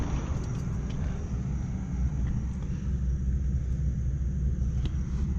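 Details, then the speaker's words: Rooftop HVAC unit after replacing a loose, nearly broken blower motor belt: steady, even low rumble with no squeal or slapping, blower turning smoothly; normal operation. "so this belt that sounds better"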